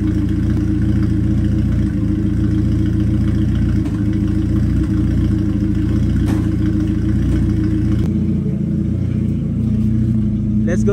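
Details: Toyota Starlet EP82 with new spark plugs, idling cold before warm-up, still misfires with an uneven, stumbling beat and a loose chuff breaking the rhythm.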